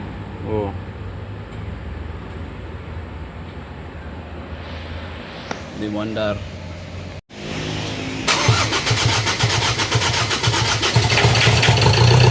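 After a quiet spell the starter kicks in with a rapid steady churn of nearly four beats a second, but the diesel never fires and runs.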